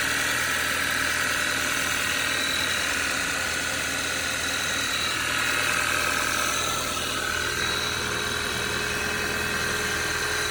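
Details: Cold idle, cover removed, on a 2013 Audi 2.0 TFSI gen2 with Stage 1 Revo tune and 150,000 km: a fairly regular light knock about 200 times a minute over the engine. Owner suspects a piston pin but is unsure.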